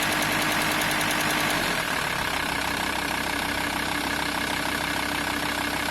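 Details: VW T4 2.5 TDI (AXL engine) at 1050–1100 RPM, the only speed it occurs: fast machine-gun rattle at about three per second at the serpentine belt area; low-rpm engine rattle, probably the belt tensioner pulley.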